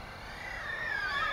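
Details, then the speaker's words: Skystars Ghostrider X95 95mm FPV drone, throttle rising on takeoff: high motor whine climbing in pitch, slightly rough and wavering; motors somewhat noisy with mild vibration and oscillation, cause unclear. "I found the motors a little bit noisy you can hear some vibration I hope won't see anything in the air in the footage"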